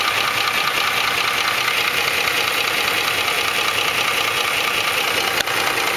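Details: 2004 Ford F150 5.4L 3V V8 at idle: sharp regular ticking about 2.5 per second, timing chains slapping the block after chain tensioners failed; fixed by replacing cam phasers, timing chains and tensioners.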